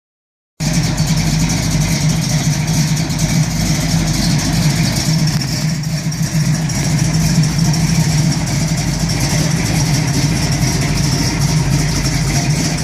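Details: 1971 Camaro SS 402 big block at idle: deep, loping, uneven beat with no steady rhythm; rough idle, cause not identified.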